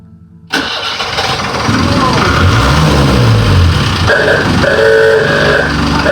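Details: Series 2 Land Rover diesel, fitted with a new starter motor, running on 3-year-old diesel: starter spins briefly, then it catches and settles into a steady clattering idle with the usual knock; normal diesel start and idle.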